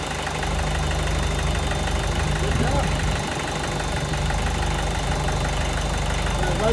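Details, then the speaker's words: VW 1.6 NA diesel in a Ford Ranger, first start after a rebuild with a new piston and head following a shattered exhaust valve: loud, uneven idle with irregular clatter, vibrating more than normal. Rough idle; air in the fuel suspected. "normally vibrates a lot but that seems like a lot more than normal"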